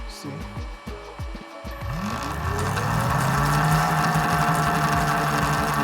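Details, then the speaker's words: Hollyburn GS electric scooter running on a jack stand with the old sprocket, sprocket swap planned for more torque: motor whine rises as it gradually spins up, with a light regular tick running along; source unknown. "see I don't know what that noise is but you can hear a noise that's like going tick tick take"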